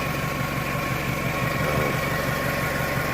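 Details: 1998 Toyota Camry, back together after water pump and timing belt replacement: a steady low rumble with an even beat and no knocking or ticking. The engine idles smoothly.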